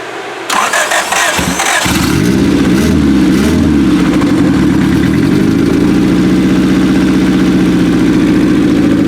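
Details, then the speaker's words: 1995 Acura Integra LS turbo B18 with forged pistons and rods, block guard, new head gasket and aftermarket cams, on first start after the cams: lumpy, uneven loping idle, as if some cylinders are not firing. "Sound like some of them weren't exactly doing their job."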